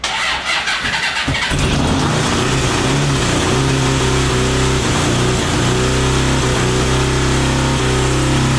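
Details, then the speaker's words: 1982 DOHC Honda CB750 in a cross kart after a coil change: catches after a rough start, then a lumpy, stumbling idle. The owner suspects the outer cylinders aren't firing and checks them by temperature. "i'm going to say that the center ones are going to be running and the outside ones aren't going to be doing so hot"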